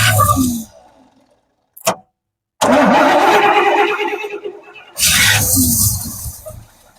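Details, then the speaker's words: 1971 Cadillac Sedan DeVille big block, parked since 1986, first start attempt with fuel poured into carb: short cranking bursts with gaps, catches, sputters and fades; hard start, won't stay running, owner suspects too much fuel. "I'm I'm feeling good. I mean, that sounded great. It didn't pull off the bowl, though, right? Did not."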